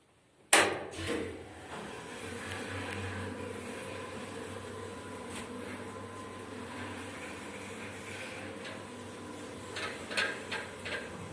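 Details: Steady shaft drone with loose knocks and clatter as an Otis 2000R lift travels; the counterweight suspension rattles, suspected slack hoist rope, though the three ropes checked seemed normally tensioned; eyebolt rattling against the counterweight bushing.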